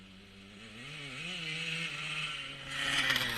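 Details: 1977 Honda CR125 Elsinore two-stroke running after HPI ignition installation: crisp buzz that intermittently stutters; owner suspects a large exhaust leak, as it ran fine before the leak appeared.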